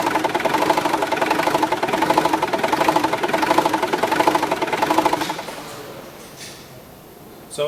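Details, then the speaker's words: Mitsubishi L200/Triton 2.5 turbo diesel 4D56T, on arrival after injectors replaced elsewhere, no fault codes: diesel idle clatters with uneven lumpy surge before cutting out; rough erratic idle. "as you can see from the uh small little clip of the engine out of there you can see how rough the engine was running when it came into us"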